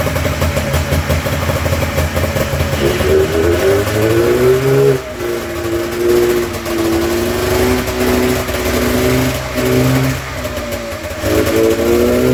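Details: Polaris snowmobile primed with gas after a new fuel pump was fitted: catches, revs unevenly with the pitch rising and sagging, then bogs and dies, as before; owner unsure whether spark or fuel is at fault.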